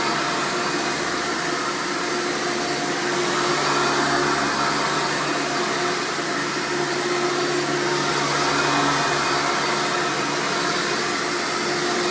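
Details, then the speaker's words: 1999 Hoover Futura Elite U5098-930 upright vacuum, power switch rod replaced after shipping damage: a loud, steady motor roar with a constant high whine and no rattles or surging. Naturally loud, but it runs normally. "would like to point out this thing is pretty loud when it's running but that's the nature of these vacuums they're just naturally loud"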